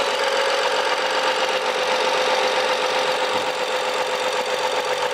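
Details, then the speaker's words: 2011 BMW F07 5GT, 3.0 turbo gasoline, 277,000 km, fully hot: steady, even idle with faint fixed tone, no whistle or hiss. The noise that occurred when hot no longer occurs after repair. "봐 소리 안 나죠"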